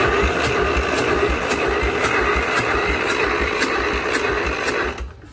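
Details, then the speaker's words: Free diesel engine with oil bath air cleaner removed, ether sprayed into intake: steady, uneven cranking around three per second, never catching; has compression but won't fire, valves to be checked. "that's really weird I've never seen that before not even h SM po there that is crazy it's got compression I'm stumped how's it not even hiding a lot it's crazy"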